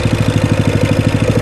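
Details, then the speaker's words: Coleman CT200U trail bike after a high-idle-at-startup fix and governor bypass, with the idle screw set so the clutch doesn't engage. Small single-cylinder engine gives a steady, even thump; normal idle. "there's an idle screw right here you can adjust the idle from this roof to get the idle to where the clutch is not engaging and it's island at a good clip"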